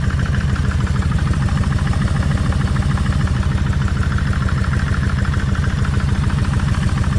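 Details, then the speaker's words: Kawasaki Vulcan 1600 V-twin at idle after warm-up, checking cam chain adjusters: fast light top-end tapping on each beat, front cylinder worse than rear; earlier the rear rattled when revved, timing chain suspected, cause unconfirmed. "w all my stuff away but uh and it's still a little noisy but that noise is more or less up in here"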